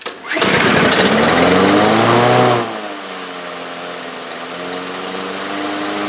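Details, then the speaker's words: Two-year-old DeWalt mower with a Briggs & Stratton engine, after a new carburetor main jet: starts on the first pull and screams up to a high, climbing rev; it runs too fast. "Well, it's running. It started up on the first pull. Seems to be running a little fast."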